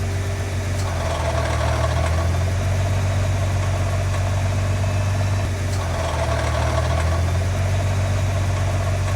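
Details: Nissan GT-R R35 idling: loose metallic rattle about four beats a second over the low rumble, typically from a failed bellhousing; fix is an upgraded bellhousing with hardened steel inserts and upgraded bearings.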